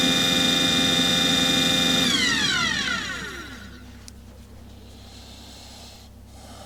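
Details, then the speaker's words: Aqua Hot 400D RV boiler burner: blower hums at a steady high whine, then winds down to silence with no firing rumble. It runs without igniting and locks out. Owner suspects air in the system, so no fuel reaches the nozzle and the CAD cell cuts it off. "So, that may be what we're experiencing right now is it's trying to it's trying to move that air through the system and there's no fuel getting to the nozzle right now and the CAD cell is cutting it off."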